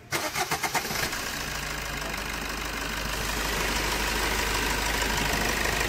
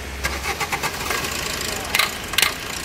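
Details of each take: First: Maruti Suzuki Swift with complaints of engine knocking, low mileage and poor pickup. A second of cranking, then the petrol engine catches and settles into a smooth, knock-free idle: normal engine start. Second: Maruti Suzuki Swift petrol engine on start: sharp ticking knocks about four a second as it catches; also low mileage and poor pickup, no error codes; attributed to a faulty fuel filter sensor.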